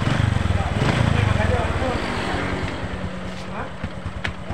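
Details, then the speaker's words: Honda Supra X 125 motorcycle idling after fix: steady even thump with no timing chain rattle; noise came from slack timing chain because the tensioner no longer pressed enough, fixed by adding a spring to the tensioner without replacing parts. "Nah ini udah aman enggak bunyi lagi sama sekali udah aman karena tadi posisi Tensioner itu ini posisi Tensioner jadi tidak cukup lagi untuk menekan ke timing makanya timing itu kendor ya"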